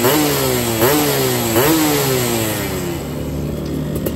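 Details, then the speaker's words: Yamaha F1ZR two-stroke free-rev blips at roadside, 145 main jet, NXL racing exhaust, after a holed piston blamed on CDI ignition; dry raspy crackle — running lean, carb untuned. "Oke, terdengar suaranya masih kekeringan ya guys ya. Ini Emang gue belum setting juga karena di rumah gue nggak bisa belayer."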